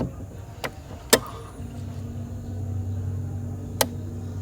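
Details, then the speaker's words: Two-door top-bottom fridge that was not cooling though its light worked. After the defrost timer was turned counterclockwise, there is a sharp click, then a steady low hum as the compressor and fan start. The fault is likely the timer, fuse or heater: compressor and fan starting. "oke di sini udah cetek ya tadi udah cetek kemudian mesin kompres di sini nyala dan untuk kipas di sini juga nyala juga teman-teman ya"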